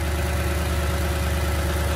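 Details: 2016 Toyota Tundra, about 70,000 miles, at Copart auction, left warming up: steady even low rumble at idle with no knocks, ticks or misses; healthy idle, no check engine light.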